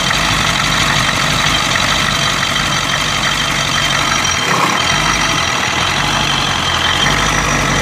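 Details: 1992 Ford 7.3 IDI diesel at idle, rough and uneven with random stumbles and a dull knock under a hissy chuff of blowby. The misfire is intermittent. Teardown found the second ring broken on two pistons, plus one bad valve guide.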